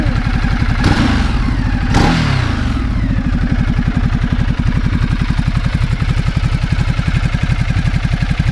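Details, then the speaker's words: 2010 Ducati Multistrada 1200 L-twin at startup: two sharp throttle blips, then a steady, even lumpy twin-cylinder idle with no knocks or rattles; the engine sounds healthy. "yeah so the most important part the engine is a peach it really is"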